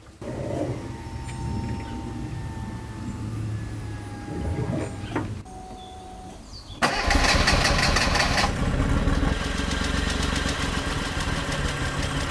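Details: Flood-submerged Suzuki Cappuccino 3-cylinder turbo, first start after tank cleaned and pump refitted: cranks a few seconds, fires and runs limping and uneven on two cylinders; misfire blamed on a stuck fuel injector.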